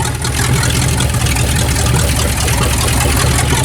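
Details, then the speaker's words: 1967 Dodge Dart, sat over 5 years, first run: loud, raw, lumpy idle with a deep steady rumble and crackle through open headers; engine running fine, just uncorked. "she's running now got it a Roger sounds nasty that's what it sounds like with open heads"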